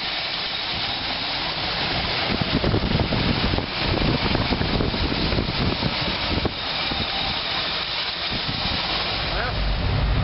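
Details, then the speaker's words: 1986 GMC Blue Bird with freshly rebuilt carburetor; engine running steady, uneven exhaust pulses, idle still slightly high at roughly 1000 rpm. Won't stay running without choke. "well she's running let's see if she'll stay running when I put her in Drive idle's still a little high but she's running I'm leaving her alone she's probably running about th000 RPMs right now"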